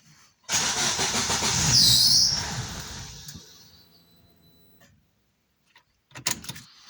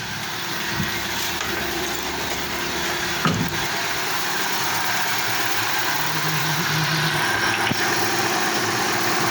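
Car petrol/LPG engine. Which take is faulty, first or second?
first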